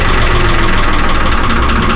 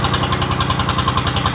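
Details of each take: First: 3-cylinder Lister diesel in a former Rotterdam harbour boat, just started cold after 8 litres of water were pumped from the flooded engine: heavy clatter with rpm hunting, needs much throttle; owner suspects air in the system. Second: 3-cylinder Lister diesel in a harbor boat flooded for about 3 years, after its first start: the earlier hunting has settled into an even, steady chug of about ten beats a second, idling steadily.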